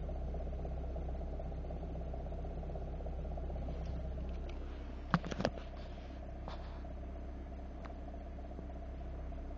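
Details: Engine idling with the clutch engaged (pedal up): a steady low drone with a faint humming, bearing-like tone that is absent with the pedal down. A new clutch kit did not cure it, and it has slowly worsened. The bearing responsible is unidentified.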